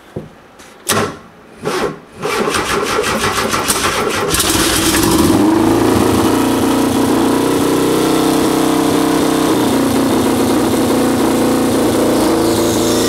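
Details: 1973 VW Super Beetle with a turbocharged Subaru EJ255/EJ251 hybrid engine, after the air temperature sensor was plugged back in; a few cranking bursts, then it catches into a steady, even idle; it runs, pumping out a lot of exhaust smoke.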